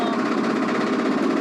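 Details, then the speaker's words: Land Rover Defender breaking down on Namibia's Skeleton Coast after the temp light came on: harsh internal rattle and knock over a struggling engine with no power; owners suspect a cylinder. It later stalled, smelling of burnt rubber. "We've officially broken down, and it's quite serious. You can hear the rattling of the engine. What do you think it is, Yosh? It's a cylinder, isn't it? You can go like no power and knock and nagging like all."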